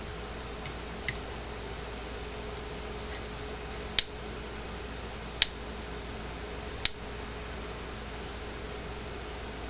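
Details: Gallagher M60/M100/M120/M160-series fence charger on the bench after repair, sharp crisp snaps roughly every second and a half over a quiet room; pulsing normally.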